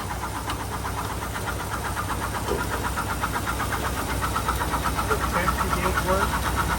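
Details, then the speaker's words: 1948 Cadillac, first start in 21 years: the engine idles evenly with no knock, while a quick regular tick of about four a second comes from a noisy generator. The noise stopped after the generator was rubbed a little. "She rubbed it just a little bit and that noise stopped."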